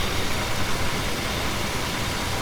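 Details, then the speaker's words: 1977 Chrysler Newport after tune-up: steady, even low rumble with no knocks, misses or odd noises; a healthy, normal idle. "That It sounds good. It's neat. Right? That's lovely."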